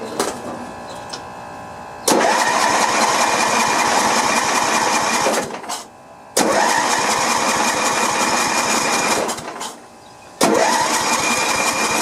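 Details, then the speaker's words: Sears LT1036 lawn tractor, Tecumseh engine with points ignition, sat at least two years: three long bursts of steady starter cranking with no firing between them; cranks but won't start, later found to have no spark. "Maybe no spark. What do you think? Let's check and see."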